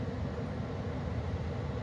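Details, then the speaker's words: 2013 Carrier Sentry gas furnace in an attic during startup, running normally. Steady low rumble of burner and blower, even and unbroken, with no knocks or squeals. "there's probably are some more furnaces that that sound just like this it sounds like a brght furnace it's actually a carrier furnace"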